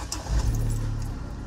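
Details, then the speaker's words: Vauxhall Zafira after front exhaust replacement, in neutral, listening for exhaust blows: engine catches and settles into a low, steady idle with no puffing or ticking at the exhaust; no blow, normal idle. "there we go much better much much shut up mate much better"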